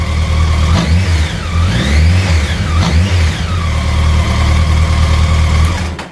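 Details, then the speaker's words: Honda CBR1100XX Blackbird with 26,000 miles idling, choke off, with a loose, ruffling rattle in its beat: the beginnings of a slack cam chain, before cam chain replacement. "kind of a a lot of you know what hunting noise sounds like it's a very distinct ruffle it's kind of having the maggia to be imagine the little final chain rattling around inside there"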